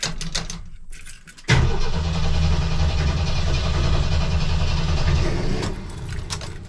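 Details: 1984 Jeep CJ7 barn find, cranked with a YESPER jump starter. The starter churns at a steady beat but the engine never catches; the owner suspects he flooded it and smells gasoline: cranks but will not start.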